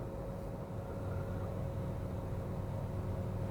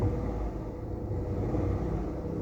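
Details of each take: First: 1KR engine idling after repair of a misfire with code P0353 and the engine warning light; a smooth, even low idle hum with no stumbles, all cylinders firing cleanly. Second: 1KR engine before repair, engine warning light on with code P0353; a low, lumpy idle rumble with an uneven beat, as if one cylinder keeps dropping out. Misfire at idle.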